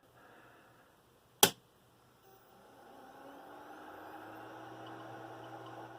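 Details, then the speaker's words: Hard drive dead 20 years after a loud pop, powered via Molex: sharp click at power-on, then a faint whir rising steadily in pitch as the platters spin up normally. "I think I'm hearing the sound of a hard drive spinning up. So the hard drive spins up."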